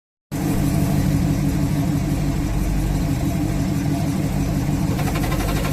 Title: 383 Challenger A833 clutch noise when pressed